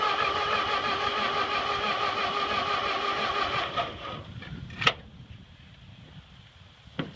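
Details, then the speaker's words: Ford 8N tractor that sat 4-5 years, after reversed battery terminals were corrected: steady faster cranking on a carb cleaner squirt with sporadic firing catches, then weakening as the battery runs down. No gas in it yet. "well let's uh let's get some gas I heard it trying to Fire and uh let's put some gas in this thing and see what it does"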